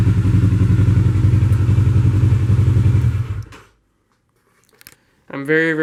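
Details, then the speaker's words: 2007 Kawasaki Ninja 650 with a used replacement engine of about 19,000 km (the old 49,000 km engine failed): twin idles with a smooth, even, low thrum and steady pulse before shutting off. Normal idle. "frigging bike runs a lot better than when I first bought it it is so smooth I can't believe how well this engine runs like let's listen the sound of this"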